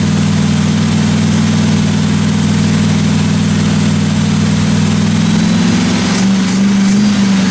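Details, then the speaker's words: 1957 Chevy 210 at fast idle during the roughly 20-minute cam break-in on first start: a smooth, steady deep rumble that settles slightly near the end, with no valve train ticking; normal running. "I actually got the thing broken finally uh sounded good I ran it for about 20 minutes got the cam broken everything sounded good in the the valve train I didn't hear any uh weird noises or anything like that"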